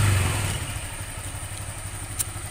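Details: Honda Vario 125 scooter CVT running evenly with a low idle and smooth drive hum, no rattle or clatter, after shimming with a used spare part to cure the klotok knock at low rpm; belt drive sounds healthy.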